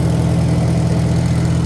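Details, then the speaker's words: Farmall Super M-TA antique gas tractor converted to alternator, started without cheater start using a little choke, choke then shut off and throttled up: deep, steady, even thump at idle with no misses or knocks; runs healthy, thunderous. "Sounds good, thunderous."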